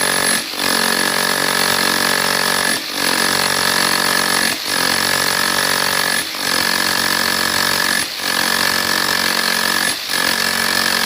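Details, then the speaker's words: Makita HR4003C rotary hammer set to drilling-only mode: repeated bursts of a hard buzzing rattle with brief pauses; it keeps hammering in drill mode because its mode lock is broken. "Drilling mode में मैंने यह किया है। अब यह drilling है। और हथौड़ा मारना दोनों एकसाथ यह काम करेगा।"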